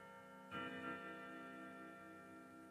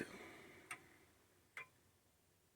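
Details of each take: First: Old grandfather clock after setup, with tape around its weights so they don't foul the pendulum: slow, clear bell strikes over a soft tick, ringing nine correctly for the hour; a healthy, even strike. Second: Old grandfather clock during setup, pendulum has stopped a few times when not level: ticks at uneven spacing, one gap noticeably shorter than the next, so the clock is out of beat and needs levelling or beat adjustment.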